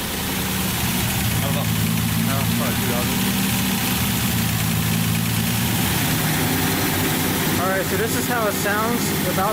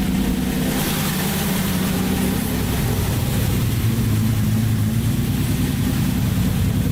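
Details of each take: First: Datsun 280Z with freshly rebuilt engine, first start, running a little rich, no muffler fitted, not yet at operating temperature: a steady, loud, raw open exhaust bark at idle. Loud exhaust, no muffler. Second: Datsun 280Z on first start after an engine rebuild, running a little rich: a steady, even drone held around 2,000 rpm with no knocks or misses; normal running at raised rpm.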